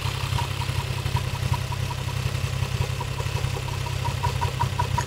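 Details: Toyota 1JZ-GTE VVT-i engine at steady idle with a light, fairly regular tick about two to three per second; engine knock, cause not pinned down.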